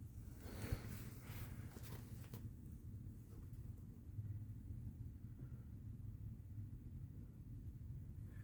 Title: Bad Wheel Bearing on a Mazda CX-9 2012.